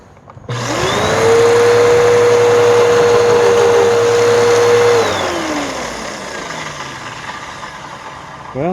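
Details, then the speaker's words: Bissell Powerforce Helix vacuum, water-logged curb find, after lubrication: motor spins up to a steady, clean hum, holds it, then coasts down smoothly with decent torque; belt had been slipping badly earlier. "got some decent torque it's not bad"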